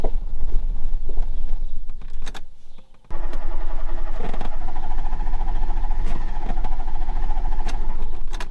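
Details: 1991 Fiat Panda 4x4 on a road trip from Portugal: engine catches and runs unevenly, drops out, chugs roughly and won't hold a clean idle; no choke, owner suspects the carburettor fuel mix after adjustment.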